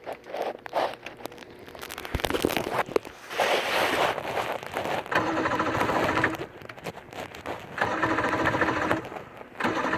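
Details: 115hp Johnson outboard that won't start, cause unknown; ragged, uneven churning in bursts at about three to four beats a second, turning over with no firing.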